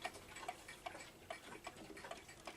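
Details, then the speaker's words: New Haven gingerbread pendulum clock, not yet cleaned, running out of beat because of where it is placed: uneven tick-tock, beats alternating long and short at about two ticks a second, likely to end up stopping. "This one doesn't really want to run anymore because of where it's placed at, and because of that, it's a little bit offbeat."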